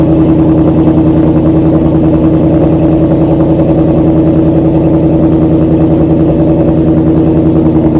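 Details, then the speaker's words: 2014 Ford Mustang GT V8 at idle after fitting LTH over-axle pipes to GT500 mufflers, listened for leaks at the hose-clamp connections; deep, smooth, even burble with no ticking or puffing. Exhaust sounds healthy. "It's a little bit late, but I'm gonna go ahead and start up the Mustang, see what it sounds like."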